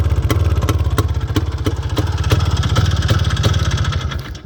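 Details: IZh Planeta 5 single-cylinder two-stroke motorcycle after fixing a no-start ignition problem (not the coil): pops steadily about three beats a second, firing evenly with no misses; healthy.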